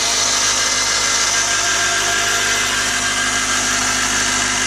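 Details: Audi A6 C6 2.0 TDI (BRF) idling: steady high-pitched whirring hiss from the belt drive; cause was worn v-ribbed belt deflection/guide pulley 03G145276A, after alternator bearings, pulley, belt and tensioner replaced.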